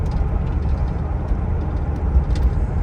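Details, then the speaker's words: Buick driving at low RPM under load, converter lockup being checked: engine drone with scattered metallic pinging, spark knock; ignition timing needs backing off. "Need to back the timing off a little bit. Can hear it spark knocking."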